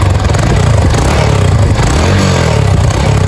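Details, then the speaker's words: Single-cylinder motorcycle after work with cylinder kit, valve seals, cam chain and rockers all checked OK; a chronic noise remains at the clutch drum. Revved, then a steady, even low-thump idle with no knocking or rattle; running smoothly. "Perfeito, hein? Gostei. Tá, cara. E dá uma lenta d bonita, não é? Perfeita."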